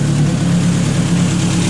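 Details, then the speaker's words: Ford Focus running again after rebuild and drive belt refit, at idle: deep, steady hum with an even, smooth note and no knocks, ticks or hunting; runs all right. "running all right she's a good son"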